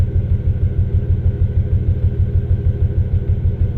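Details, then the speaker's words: Toyota Tacoma X-Runner after a burnout, misfire codes for cylinders 1 and 5, restarted after clearing codes: deep, lumpy idle with a regular stumble about twice a second; dead cylinder 5 misfire, owner fears piston damage. "Cylinder 5. We got a dead hole. Hopefully there's not a hole in the piston."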